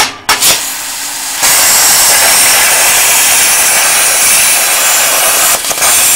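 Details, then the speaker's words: Plasma cutter torch: steady hissing air-and-arc roar runs about four seconds, then drops out while the trigger is still held, restarting when the torch is knocked; suspected faulty torch switch, replaceable with a TIG switch. "there's cutting out all the time and boy does that wind you up"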